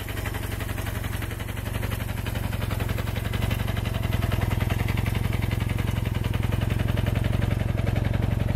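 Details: 1974 Kawasaki KZ400D1, freshly serviced with rebuilt carburettors, new points and condenser and adjusted valves, at idle: even, steady exhaust beat with a firm low thump and no misses, knocks or rattles; idling cleanly.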